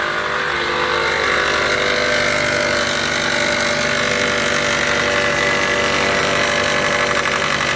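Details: 2013 Chrysler 200 after cold snap, loud front noise at idle: steady raspy whirring chatter traced with stethoscope and pulse sensor to worn alternator overrunning clutch pulley, not the bolted-on power steering pump or tensioner.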